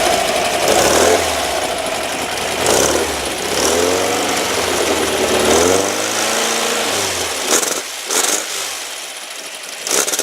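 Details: Rebuilt, upgraded air-cooled flat-four in a 1970 VW Single Cab truck with a 5.5 lb balanced pulley, still a little cold; it catches and revs up and down, then settles, even with no knocks or rattles. Healthy running.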